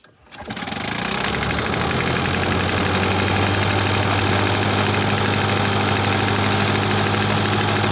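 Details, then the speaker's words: Victa two-stroke lawnmower after quick service including new spark plug, previously hard to start; catches first pull and holds a steady even idle burble with no misses or surging; healthy idle. "here we now have a good looking mower which is easy to start and we'll start first pull every time"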